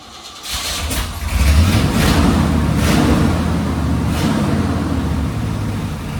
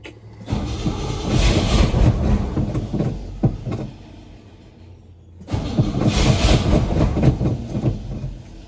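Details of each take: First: Old Chevy/GMC K10 sitting for years, fuel poured into carburetor, reported carburetor issues: brief crank, then catches and runs steadily with deep even rumble, smoky; engine starts and runs. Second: Old Chevy/GMC K10 sitting for years with 10-year-old gas: two long cranking bursts, about four turns a second, never catches; crank no start, fuel pump possibly not picking up fuel, bad fuel suspected.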